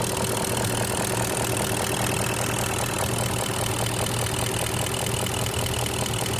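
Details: 2002 BMW X5 E53 4.4i M62TU V8, warm idle: steady fairly quick knock about two per second under engine drone, began after switching to Mobil 1 5W-30, unchanged back on 20W-50; unidentified.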